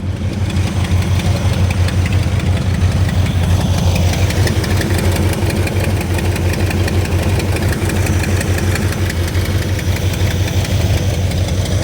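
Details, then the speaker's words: Dodge Coronet V8 on first start in over 20 years, not yet hot, deep slightly uneven idle with light ticking about three times a second; owner suspects lifter tapping and notes an exhaust leak. "Fire's right up though. I hear its lifter tapping."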